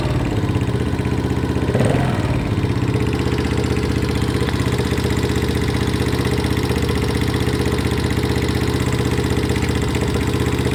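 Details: Viper ZS150J single-cylinder engine at idle with a brief blip: light, regular ticking over the idle, a valve tick from excessive valve clearance.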